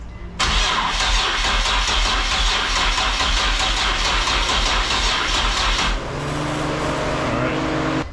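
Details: Nissan 350Z with swapped VQ37VHR single-turbo engine, first start attempt: even cranking about five seconds without catching, then stops; crank no-start, a fuel line leak was then found.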